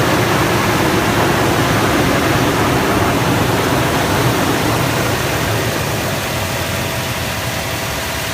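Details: 2006 Toyota Tundra after belt squeal repair; steady, even idle with smooth hum and no squeal or chirp, engine runs quietly.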